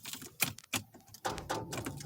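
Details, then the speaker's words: Corvette that won't start, with something draining the battery; owner says it acts as if out of gas though it isn't: sharp, irregular clicks in short bursts, about six in two seconds, with no cranking. "what is this clicking mess i guess i'll let it sit some more okay"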